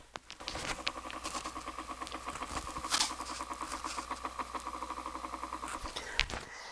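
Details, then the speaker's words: Dokorder 8100 reel-to-reel tape deck, motor running after replacing a blown 0.5 A 250 V fuse: fast, uneven chattering whirr with a scratchy edge over a high hum; owner suspects the motor bushings need lubrication. "It doesn't sound real happy. And I'm not sure if it just needs some lubrication."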